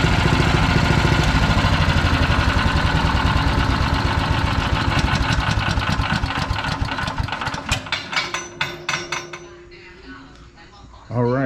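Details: PowerMate 212cc wood chipper single-cylinder engine after clearing something tangled around it: runs with a quick, even chuff and no misses, then slows and stops; sounds healthy.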